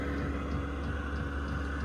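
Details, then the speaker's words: Cheap diesel heater installed in a 2020 Scout Olympic truck camper: steady low fan hum with a soft regular tick about every third of a second from the externally mounted fuel pump, normal dosing-pump clicking. "If you listen, you'll be able to hear that clicking, and that's the fuel pump on the outside."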